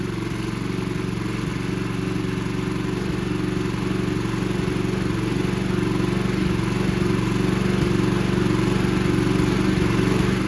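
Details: Free, abused Toro 20333 Recycler push mower, Briggs and Stratton single-cylinder, after quick carb bowl clean removing water and debris: steady, slightly uneven-edged putter; mower now runs on gas.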